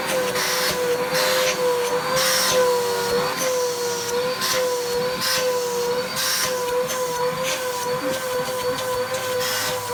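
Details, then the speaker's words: Vacuum cleaner motor running after dust blew out of it. It gives a wavering, high whine with rough, gritty surges over and over; the motor sounds terrible and needs servicing. "dust just came out of that motor everywhere and that motor sounds terrible that motor sounds like it needs some servicing"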